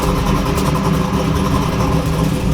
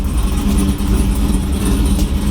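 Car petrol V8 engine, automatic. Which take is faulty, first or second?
second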